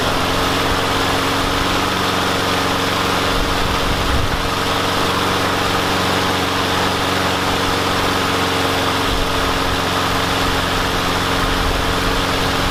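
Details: Yard Machines mower with a Briggs and Stratton engine, running after the spark plug was wire-brushed and carb cleaner used on a no-start: a steady, even single-cylinder buzz with no surging or sputtering. Normal running.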